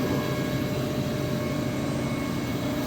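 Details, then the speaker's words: Industrial air compressor after changing the oil, oil filters, air filters and oil separator; valve open, 7.5 pressure reached, feeding plant machines. Steady even hum, no knocking or rattling; running normally under load. "நம்ம எல்லாமே ஃபுல்லாமே filter எல்லாமே change பண்ணியிருக்கோம், oil change பண்ணியிருக்கோம், oil செப்பரேட்டும் change பண்ணியிருக்கோம். அதனால் machine இப்போ நல்லா ஒர்க் ஆகிட்டுருக்கு கம்ப்ரஸரு."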